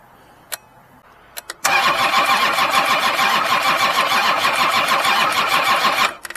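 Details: Kubota diesel cranked with a Lokithor JA3000 lithium jump pack in about 30°F weather. The starter spins briskly and evenly, around three compressions a second; cranking speed sounds healthy.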